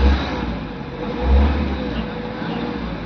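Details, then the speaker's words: Tata Safari DICOR 2.2 diesel that cranked without starting with DTC P0340 camshaft position sensor code, after cam sensor replacement: fires up and holds a steady, even clatter with one clean rev rise and fall; now starts and runs properly. "ये गाड़ी हमारी perfect तरीके से start हो चुकी है।"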